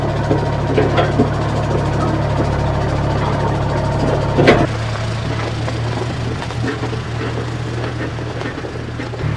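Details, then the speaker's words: Old vibratory roller, revived after about 20 years unused, twin-cylinder diesel giving a deep even thrum under load while compacting gravel on a lumpy driveway section, no knocks or misses; it crushed the bigger rocks and packed it down well. "so that's a really good job it's crushed a lot of the bigger rocks and um sort of packed it all down so yeah it's good"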